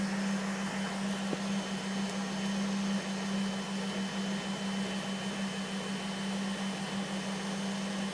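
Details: 2005 Volvo S40 T5 with blinking check engine light: steady, even whine holding constant pitch over a low hiss, no change in speed; source not stated.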